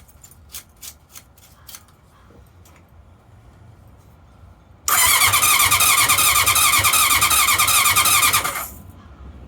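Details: 1981 CV750 motorcycle, non-starter, with a new battery fitted and gas on: a few clicks, then about four seconds of fast, even starter whirring near 3.5 turns a second, never catching. No start.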